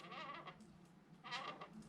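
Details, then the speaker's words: Samebike L026 Version 2 electric bike pushed slowly (silent when pushed fast): two drawn-out, squeaky creaks, loud and unpleasant when riding. "hopefully you can hear that creaking well there you go that was loud that horrible creaking sound not nice when you're riding"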